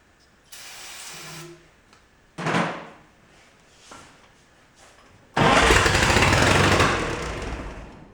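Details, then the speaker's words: 1949 Willys pickup F134 engine, 6-volt system temporarily on a 12-volt coil, no carburetor, fed brake cleaner: short cranking bursts then a loud rough roar for about two seconds before dying; fires, blowing a mouse nest from the muffler. "All right, it runs. Carb will make a world of difference, but it popped off and it sounded okay."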